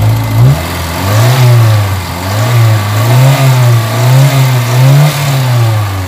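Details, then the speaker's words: Kia Pride engine that had white smoke, vibration and low power, running after an XADO engine treatment: steady low note that swells and settles with light throttle, smooth and even, with no knocks and no exhaust smoke now; runs normally. "Ayan na yung tambutso guys wala ng usok Ayan umaandar yung makina so na-min na yung usok niya"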